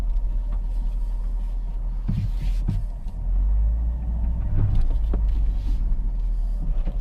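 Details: Worn CV joints on both sides of a 2011 Volkswagen Voyage (EA111 engine), tested on full steering lock: heavy low rumble with scattered clicks and knocks from the CV joints.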